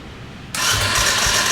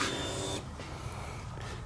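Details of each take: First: Blown-up dirt bike cranked on the electric starter with good spark and brake cleaner sprayed in the plug hole: spins fast and too easily with weak puffs, almost trying to start but not catching; low compression suspected. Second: Dirt bike fuel pump, checked with inline gauge after it ran poorly and wouldn't idle: short electric whir cutting off after about half a second, then quiet steady hum; pressure over 40, near 45–50 spec. Normal fuel pump priming.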